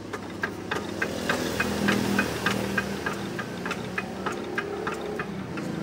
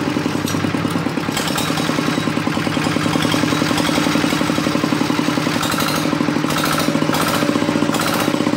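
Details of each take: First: RD 85 S-series diesel that earlier ran out of oil and had its bearing shells replaced, heard during a compression check: sharp, regular clunk three or four times a second in time with the engine; suspected flattened or worn bearing shells, crankshaft to be checked. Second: RD 85 S-series single-cylinder diesel, which previously failed from oil starvation, after replacing crankshaft and bearing shells: even, steady thumping about four beats a second, no knocks or misses; runs smoothly.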